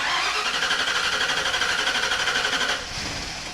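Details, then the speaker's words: Boat car (SS Minnow) sunk in a lake and parked underwater, started on starting fluid: fast cranking about four beats a second, engine barely catches then fades; engine good but not getting any fuel. "So, the engine is good. >> Yeah, engine sounds great. >> Yeah, engine >> fuel now. >> Just not getting any fuel."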